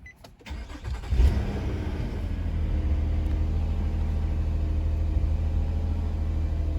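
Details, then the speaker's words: 2011 Nissan Maxima 3.5L V6 after repair of a no-start caused by a blown fuse, short circuit and torn belt; short crank, quick catch, then steady even idle with no belt squeal or chirp, cooling fan not staying on; normal start and idle. "we are back up and running alright guys so as you can see the engine is running nice and smooth our cooling fan is not staying on our belt not making any noise so we're good to go"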